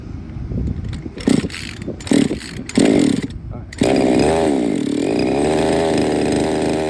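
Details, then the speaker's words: Used Redcat Rampage XB RC truck with a Walbro 990 carburetor, small two-stroke: a few short sputtering bursts die out, then it catches and holds a steady, high buzzing rev; sounds healthy but hard starting with major issues, cause not yet diagnosed. "all right okay so it definitely starts up but it has major issues but it sounds good it sounds healthy"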